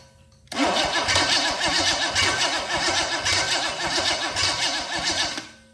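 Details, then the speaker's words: 1973 Chevrolet K5 Blazer engine out of the truck on the floor, test with new flywheel and new starter; quick, even cranking pulses for about five seconds, no grinding or slipping, then winds down; starter teeth engage cleanly. "new flywheel new starter let's see if it spins this motor over"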